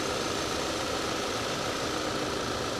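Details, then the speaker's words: 2011 Audi A5 coupe, manual, at a salvage auction, check-engine light on, engine a little oily: a steady, smooth idle with an even hum and light valvetrain whirr, no knock or stumble. It is running fine. "but it doesn't sound too bad at all it really doesn't all right we like it"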